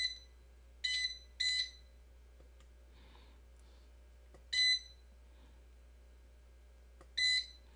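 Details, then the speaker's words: Modded Hiland-type bench DC power supply: shrill double-pitched beeps in short bursts every few seconds. The panel meter's low-voltage alarm (threshold probably set near 13 V) keeps tripping until the limits are reset to 0 V and 20 V. "okay so it looks like we have a threshold that's uh being crossed I think we set the low voltage on the video that we did these meters that we set the low voltage of 13 volts or something like that"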